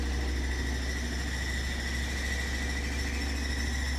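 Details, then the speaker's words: Samsung WF45R6100AW front-load washer on WE402NW pedestal, 18 months old, high-speed spin: heavy steady low rumble and shaking with squeak, caused by loose pedestal rivets; not fixed. "After 18 months, the washer sometimes vibrate a lot during high-speed cycle."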